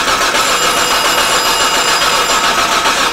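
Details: 2007 Hyundai Santa Fe 2.7L no-start, cranked while ignition coil is scoped: steady starter churn with faint uneven beat, never catches; spark confirmed present.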